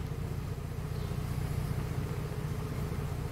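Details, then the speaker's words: Mercedes-Benz that had misfire codes P0300, P2090 and P0353 and an unstable engine, idling after repair while warming up: even, low rumble at about 2.5 pulses a second with no stumble. Normal smooth idle. "pero ya el carro está trabajando pues de maravilla como lo escuchando"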